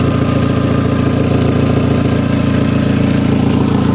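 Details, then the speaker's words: Rebuilt crash-damaged Audi TT after first cold start, no exhaust fitted, new induction kit, on axle stands out of gear: loud raw rapid pulsing at steady even idle; loud only from missing exhaust. "But it's going to be loud because there's no exhaust on it. So yeah, I imagine it's going to be loud."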